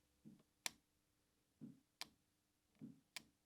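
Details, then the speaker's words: 1980s Saab 900 Turbo Commander, parked 10+ years: fuel pump relay bridged with a piece of wire gives three crisp clicks, so the relay is pulling in and working. "This is the fuel pump relay. So let's test it using a piece of wire. Should make a sound."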